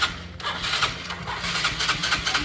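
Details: Yamaha Mio scooter with hard starting and high idle: repeated short bursts of cranking and sputtering that never settle into a steady idle. The cause is unclear. Hard starting.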